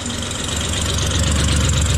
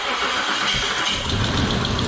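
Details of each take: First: Rough, uneven idle, earlier running on 4 cylinders after spark plug wires found pulled off, with a raspy puffing hiss from an exhaust leak at the EGR valve tube, which needs bolting in. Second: Isuzu Trooper leaking red transmission fluid, restarted after EGR was fixed: engine catches quickly and settles into a smooth, steady idle with no misses or knocks; normal start and idle, a rattling noticed shortly after.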